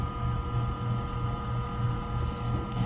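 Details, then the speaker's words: Ice-O-Matic GEMU090 flaker with compressor and fan on: the auger scrapes ice little by little to push it out the holes. Even low motor hum with steady high tones and faint regular scraping ticks about three a second. Normal. "So, little by little, it's scraping the ice. And once it builds up enough, it's going to start pushing out these little holes."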